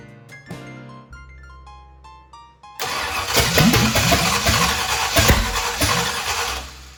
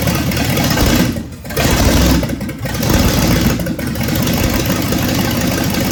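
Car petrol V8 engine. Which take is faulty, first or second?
first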